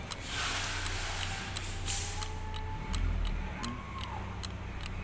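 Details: Isuzu 4HL1 diesel at about 2500 rpm: sharp light ticks about every 0.4 seconds over the low rumble, clock-like; tick of unknown origin.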